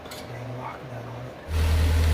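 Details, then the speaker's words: Honda S2000 warmed up a bit more after maintenance: low steady rumble settles after brief hum, even idle, nice and quiet, no rattle. Normal idle. "all right guys so we gotta run in she's gonna got a little more temperature in her now everything sounds great sounds good nice and quiet"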